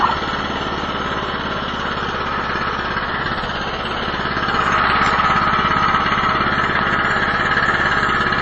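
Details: Cheap Chinese snow blower after choked cold start at about an eighth throttle: even, steady small-engine chug that picks up slightly partway, no misses or knocks; running normally.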